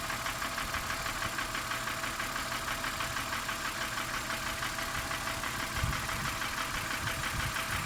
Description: the ticking noise of this M52B25 engine fades away when opening the oil filler cap. e.g. releasing the crankcase vacuüm.